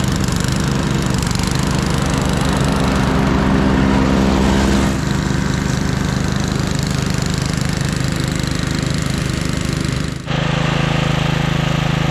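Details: 1997 Craftsman II rear-engine rider, 13.5 hp Tecumseh, mowing on test run: steady, even single-cylinder drone holding speed under load, no misses or knocks; carb running great, deck fine, normal running.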